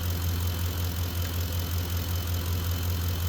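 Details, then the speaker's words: Ford F-150 at idle after accessories switched off, output dropping from about 50 to 18 amps: low steady hum with the alternator whine gone; alternator quiet and normal at light load. "let me go turn the accessories off and see if it changes well the alternator quieted down let's see what she's putting out now"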